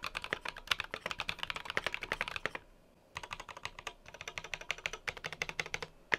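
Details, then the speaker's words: Keychron Q1 keyboard, stock with no modifications, with lubed switches: fast typing with a faint metallic ring after each keystroke, a ping from the long thin metal strip under the F row that acts like a tuning fork. "so if we dampen it a little bit we can reduce the vibrations and pinging so now this is what it sounds like stock with no modifications"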